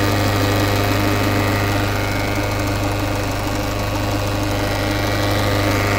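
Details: Peugeot 508 SW 2.0 HDi 163hp diesel, 2013, idling with a steady low drone and a faint irregular pulsing rattle over it; abnormal engine noise at idle, cause unknown.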